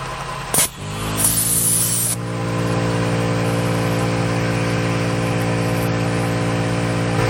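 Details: Onboard 12V air compressor installed in a Ford Transit van, a steady constant-pitch buzzing hum after a brief startup while reinflating a tyre from 25 to 49 psi in about 1 min 15 s; normal healthy compressor operation.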